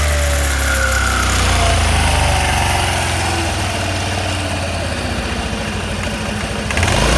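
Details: 1985 Honda Elite 150 scooter after belt replacement with variator weights checked: steady engine revs up and settles smoothly, no slipping or drive rattle; runs healthy.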